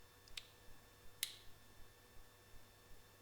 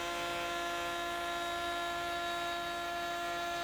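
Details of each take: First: AEG MF 1400 KE router (bought 2017), reassembled after main bearing replacement: only a few sharp switch clicks, and the motor never spins up. The switch is not closing, probably dust in the contact, so a new switch was ordered. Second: AEG MF 1400 KE router (same as Ridgid R2930), bought 2017, after replacing both bearings (main bearing was worn): steady high whine with even pitch, no rumble or rattle; works as well as it used to.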